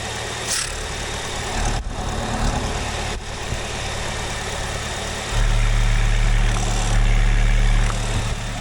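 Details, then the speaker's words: Chevrolet/GM 2.4 L Ecotec engine at steady idle, oil filler cap removed: deep, fast pulsing chuff about four beats a second, cap vibrating from excessive crankcase pressure caused by a clogged PCV valve; oil had puked from the dipstick, shop had suggested head gasket. "Can you guys hear that? There's a lot of pressure in that crankcase. The cap itself is just vibrating because it's actually got pressure behind it."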